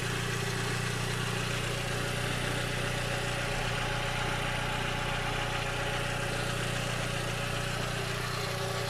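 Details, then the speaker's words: VW Passat B5.5 1.6 ALZ after home-made timing belt job; steady even idle hum with no ticking, slapping or misfire; normal idle. "Doamne ajută, cred că treaba merge bine."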